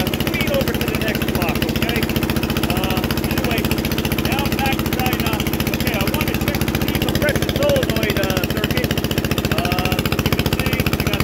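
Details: Onan 3.0 DJA single-cylinder diesel generator set with no muffler, run an hour at 75–90% of maximum load, heard from about a block away; very loud, steady, even thumping with no knock or hunting; normal running under load.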